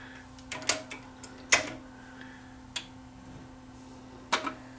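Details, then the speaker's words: Tascam DA30 DAT recorder that won't open or load: irregular clicks and sharp clacks about once a second over a faint hum, with no smooth motor run. Owner suspects something slipping, likely a belt. "sounds like something slipping so we'll pop the top off this one and see whether it's just a belt"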